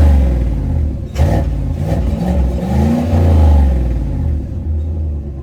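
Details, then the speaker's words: Chevrolet Silverado Trail Boss Z71 just after a no-weld bolt-on Flowmaster Super 44 muffler install, U-clamps not yet fitted: deep, throaty rumble swelling smoothly on a throttle blip and falling back, no rattles or leaks. "Start it up. Yeah. Sounds good. Sounds real good. Pretty subtle."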